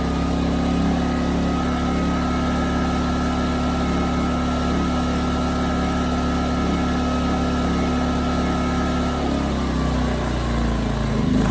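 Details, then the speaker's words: Ryobi RYI2300 inverter generator after simple tune-up steps, with a plug removed and replaced: drone holds, then pitch sags and wanders as it hunts under light load; surging is not fixed, and a new carburetor is planned. "so that's about what I thought it's running the same as it did before maybe slightly better but problems not gone either way"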